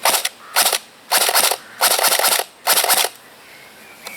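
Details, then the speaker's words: Cyma CM.060 P90 AEG airsoft rifle on an 11 V battery instead of 7.4 V: five crisp, evenly spaced semi-auto shots, clean snappy cycles with no springy twang; normal semi-auto cycling. "and that just sounds right to me uh no springy sound with the 11vt battery"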